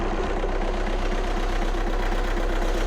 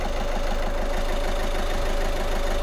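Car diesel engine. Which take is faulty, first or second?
first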